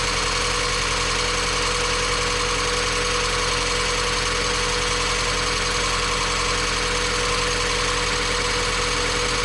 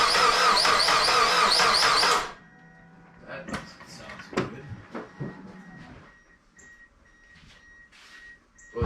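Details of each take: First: Mazda Miata after timing belt, water pump, pulleys, serpentine belts and valve seal replacement, first run not yet fully warm: steady, even idle with a faint light tick over airy hiss; engine runs well, normal idle. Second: Mazda Miata after timing belt replacement: about two seconds of quick, even cranking with no firing; no-start, cam timing suspected to be off.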